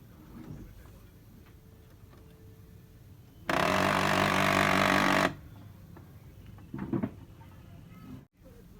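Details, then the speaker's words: Canon printer: harsh scratchy grinding burst about two seconds while mechanism runs, from a worn feed gear that should be changed or replaced. "खर्रे की आवाज़ आ रही है इस गियर से। ये वाले इस गियर को या तो चेंज कर दें या तो रिप्लेस करें।"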